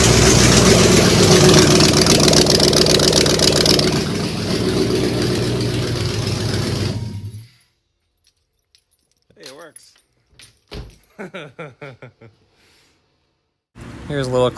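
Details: 1994 Jeep Grand Cherokee, rebuilt 5.2L Magnum V8 first fire-up after NV4500 manual swap, oil primed, no exhaust yet: loud open-exhaust V8 catches, steady even rumble, then shuts off; runs fine.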